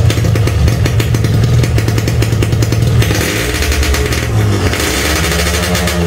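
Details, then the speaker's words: Standard Yamaha RX King two-stroke, engine warmed somewhat after a hard cold start: crisp buzz picking up cleanly on each throttle blip without bogging. Once warm it revs freely and runs normally, not a serious problem. "tuh udah tau mesin nya udah agak panas sedikit jadi karena panas dapat menarik lagi jadi buat temen-temen yang ngalamin kejadian kayak gini nggak usah terlalu parno ya teman-teman bukan suatu masalah berat"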